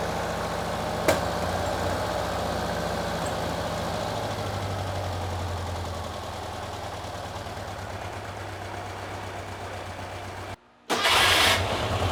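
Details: Porsche 912 air-cooled flat-four stored over ten years, after cooling fan repair and adjustment: steady even idle with smooth low rumble, no knocks, warming up; top oil leak fixed, some smoke underneath.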